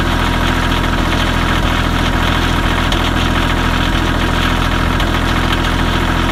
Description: Kioti CK2510HS tractor misfire on cold start